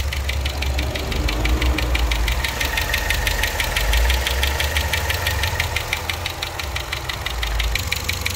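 Sharp, even ticking about three times a second sits over a steady idle; a top-end tick whose cause isn't pinned down yet.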